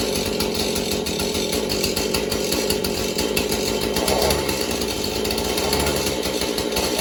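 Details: Husqvarna 435 chainsaw, mixed fuel, good compression, purge bulb just replaced: harsh, uneven two-stroke buzz never settling to a clean steady note; rough running, carburetor needs going through.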